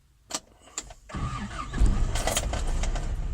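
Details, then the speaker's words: Newly bought 1988 Toyota 4x4 pickup, 22RE engine, 166,000 miles, largely original: a couple of brief cranking bursts, then it catches and settles into a steady, even idle with no knocks or misses. It starts fine. "fine, no problems. There she is on, lights come on."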